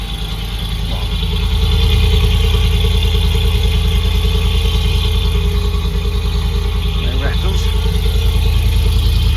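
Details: Land Rover Discovery 2 V8 petrol, just started, possibly on choke, after replacing the fallen-off exhaust mid and rear sections: even, steady low burble with a regular exhaust pulse and no ticks or blowing leaks; a smooth, healthy idle, with condensation judged normal, not head gasket.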